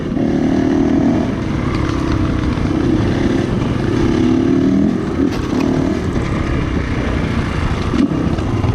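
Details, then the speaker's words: GPX 450 dual-sport bike on a trail ride: steady single-cylinder drone with a couple of brief sags losing pull; bogging because the air filter was getting badly clogged, worsening through the day. "You might hear the bike bogging a few times, and I come to find out that the air filter was getting really clogged up, and later on through the day it just continued to get worse and worse."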